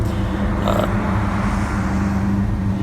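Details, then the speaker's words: 1970 Ford LTD, warm, after throttle dashpot replacement, with low idle when cold: steady, smooth idle sitting a little fast, even hum with no stumble; idle speed slightly high. "low idle will always be a problem when the car is cold but when it's warmed up it's almost too idling a little too fast"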